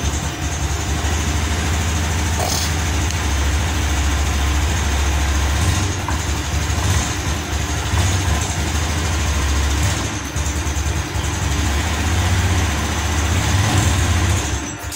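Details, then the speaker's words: Scooter with a good battery from another bike swapped in: the electric starter is now strong and it idles with a steady thump about 3.5 beats a second, but it dies when throttled, blamed on the injector. "Oke, namun di sini ketika digas Pak, ini malah mati. Nah, untuk double starter di sini sudah kuat."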